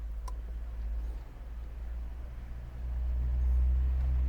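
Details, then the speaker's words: 1.5 BlueHDi 130hp DV5 diesel after fuel filter change: low steady electric hum swelling and holding a couple of seconds with key on, fuel pump priming normally, cycled repeatedly to refill filter before starting. "The pump is working again. The fuel pump has stopped again."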